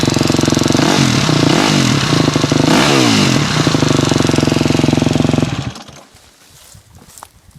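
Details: 2006 KTM 250 SX-F four-stroke with light revs: fast tick over the exhaust beat until shutdown, a clicking noise of unknown source; timing chain tensioner suggested as the fix, not confirmed.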